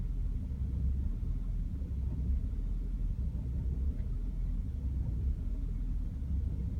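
Low, uneven rumble at idle with the beat wandering and dipping instead of holding steady; the engine is idling rough.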